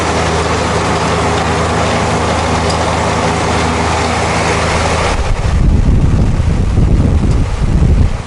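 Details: Zero-turn mower engine runs steady, then throttles up to higher rpm with a louder, deeper roar, checking spindle and idler pulley deck bearings: no grinding or squeal.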